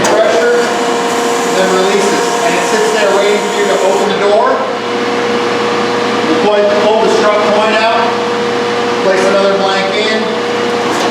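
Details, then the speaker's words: Restored coin press cycling up and down with a hardened block in the coining chamber: a steady pump whine and constant hum with a soft shift on each stroke. Even, normal press operation. "I've got it bouncing up and down, so I just want to do a quick demonstration so that you can see how it functions going up and down."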